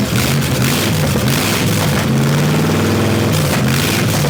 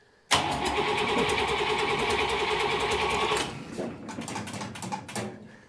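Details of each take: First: Buick Nailhead V8 vintage rail dragster with open headers, after a carburetor change and retuning running only the front two barrels: very loud rough rumble holding steady idle with blips; normal idle. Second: Buick Nailhead-powered vintage rail dragster: the starter spins the V8 at an even, fairly quick beat for about three seconds without firing; it cranks but gets no fuel, possibly from the pump struggling to pull through the fuel filter.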